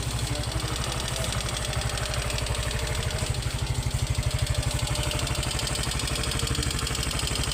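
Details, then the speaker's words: Yamaha Mio Soul i125 scooter at idle before valve clearance adjustment, rocker arm noted as noisy; light fast ticking rides steadily over idle in time with engine; excessive valve clearance. "Tapos medyo maingay din yung kanyang rocker arm."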